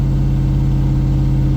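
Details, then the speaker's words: Land Rover with a swapped, newer engine at a raised idle, AFR about 14.2 at idle, watching voltage and oil pressure while bleeding air from the cooling system: a smooth, steady hum with no ticking, knocking or miss, sounding healthy. "granted this one is like 20 years newer than the other one or 15 so the engine does sound way healthier"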